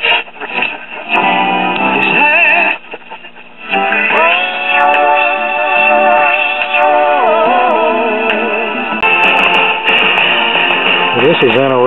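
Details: 1960 Arvin twin-speaker AM tube radio after IF transformer alignment at 455 kHz: music comes through clean and steady with muffled AM top end, no hum, crackle or fading; normal reception.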